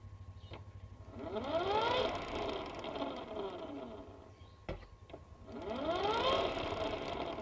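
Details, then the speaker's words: Used motorcycle check, rear wheel spun by hand: a soft hum rising and falling with wheel speed and no prolonged crying whine, meaning the primary and secondary gears are still good; normal gear hum. "tapi jika hanya dengung sedikit saja maka kondisi gigi primer dan sekundernya masih dalam keadaan bagus dan ini adalah contoh suara yang gigi primernya masih bagus Perhatikan dan dengarkan"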